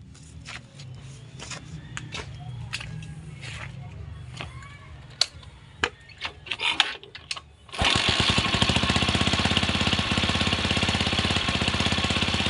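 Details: Motorcycle just fitted with a capacitor in the electrical system, where the horn had not worked before: the engine catches after some handling noise and settles into a steady, even, rapid putter with no misses or knocks; running normally.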